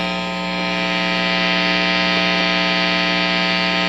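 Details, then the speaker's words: Fender Bassbreaker 15 tube guitar amp just switched out of standby, on the medium structure setting, nothing playing: a steady buzzy hum with hiss on top. Mains hum; the low structure setting is quieter. "And man, I'm sorry, but it is noisy, damn it."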